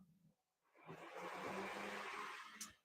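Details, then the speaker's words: 1977 Chevy Monza race car, engine off: electric radiator fans switched on manually give a soft airy whoosh that holds steady; normal operation. "can hear the fans kick on. So we watch the temp, run the fans whenever we want. That helps keep powering the battery."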